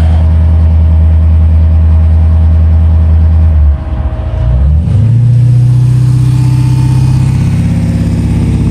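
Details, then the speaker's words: Jeep JK with a 392 Hemi V8 held near 2000 rpm: a deep steady rumble with a low droning hum, exhaust resonance booming into the cabin. "right around that range is where I'm getting some resonance in the cabin. Kind of hear it here."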